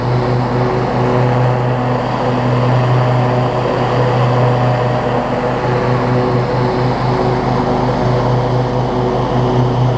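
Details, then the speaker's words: Husqvarna YTA24V48 riding mower, built December 2016, 61 hours, after an oil change and a fix for an oil leak from a loose filter: steady, even V-twin drone with a smooth low hum and no knocks or misses; normal running. "i'll show you that it runs and that it cuts here and then i'll give you a wrap on what i think about it"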